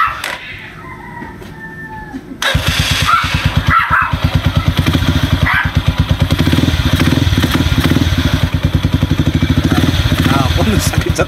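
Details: Rango 150 single-cylinder after crankshaft (segunial) assembly replacement: catches after a couple of seconds and settles into a steady, even thump at idle; noisy engine now quiet and healthy.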